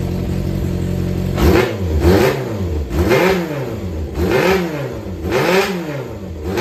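Crisp blips rising and falling about once a second, returning to a steady idle without knocks or rattles; healthy engine.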